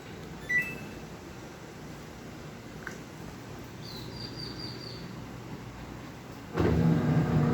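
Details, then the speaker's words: Samsung 18 kg washing machine that powered on but would not spin, tested after repairing damaged wiring: quiet beeps, then the motor starts with a steady even hum, running normally. "vamos a probar ahorita que esté funcionando el motor"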